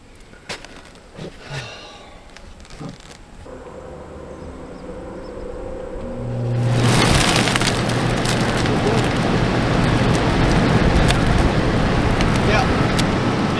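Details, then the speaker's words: Dometic RV roof air conditioner blower fan, previously only humming after months unused; after removing a bird's nest jamming it, a few clicks then steady, even whoosh with low hum, fan spins freely. "bird's nest he Sprints spins free now"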